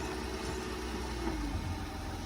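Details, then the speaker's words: 2003 Mercedes C240 at a tow auction, started with a jump and moved backward and forward; steady even low idle hum with a faint whistle and no knocks or misses; normal idle. "moved it backward and moving it back forward sounds pretty good"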